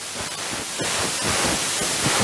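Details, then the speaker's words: Thames & Kosmos Radio Ace regenerative receiver with a 12BH7 valve on a 13.1 V supply and the shortwave coil: loud steady rushing hiss with faint rhythmic fluttering. Feedback is set too high, so the set oscillates on the lower part of the band. "hear that noise that's uh feedbacks happening down the lower part of the band there"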